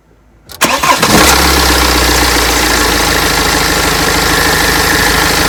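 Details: BMW X3 F25 2.0d diesel started after serpentine auxiliary belt replacement. Brief crank, catches quickly and settles into a steady, even idle with no squeal or chatter; engine sounds healthy.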